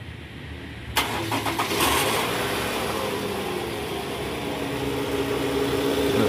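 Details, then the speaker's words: 2009 Toyota Vellfire/Alphard 2.4 L 2AZ engine: coarse gritty "krrr" rumble from the oil pan area at cold morning start, in D/R with A/C on; balancer shaft found loose and worn. "untuk keluhan kali ini ada sedikitpun kasar di area mesin pada saat persneling masuk ke d&r ya guys bunyinya itu bunyi Keur di bagian bawah"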